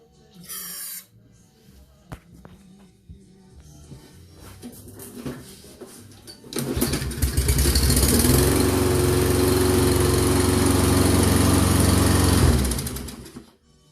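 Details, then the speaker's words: Toro Recycler mower, Briggs & Stratton 163cc 7.25hp, no-start, customer complaint: quiet cranking then about six seconds of steady running that cuts out; spark present, suspected bad gas, filter and carburetor, full service needed. "a second that means have a spark but gas issue yeah we got to do full service on it"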